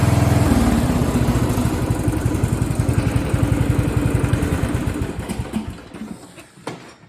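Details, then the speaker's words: Craftsman riding lawn tractor (part 917.273760) after carb and fuel fix, run without the filter: single cylinder thumping evenly about three to four beats a second, no stumbling, then winding down; fuel starvation cured, running normally. "Woo! That sounds a lot better. Well, how about that?"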